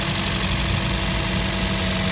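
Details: Toyota Vios gen 3, about 28,000 km, first start after valve lifter replacement for ticking noise: steady, even idle with smooth low hum, no ticking or knocking; engine sounds healthy.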